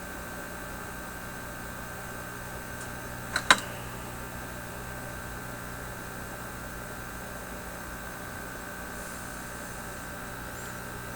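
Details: Teletone 67-600E record player tube stereo amplifier with volume turned up: constant low mains hum with thin buzz on top, one sharp click; noise apparently in the grid circuit from the volume control, unresolved.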